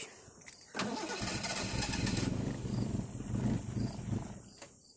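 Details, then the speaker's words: Carburetted car: cranks, catches and runs unevenly a few seconds, then sags and dies; starts then stalls, owner attributes it to a worn carburettor needing replacement. "kereta lengkap kini seolah tiba-tiba merajuk pula kereta nih Stratan aja bro kill malam pulangnya hidup kejap mati balik"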